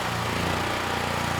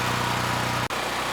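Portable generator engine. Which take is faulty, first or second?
first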